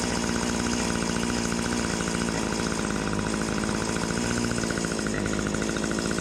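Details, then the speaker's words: Stihl HS80 hedge trimmer two-stroke bogging under throttle despite fresh fuel; carb screw adjustment gives no response, turning it out nearly killed it: harsh buzzy drone sagging and wavering; owner suspects air leak or dirty carb, later traced to incorrectly assembled carburetor. "Something else is going on because I'm not really getting any kind of a adjustment out of there. So we could be dealing with an air leak, or we could be dealing with a dirty carburetor."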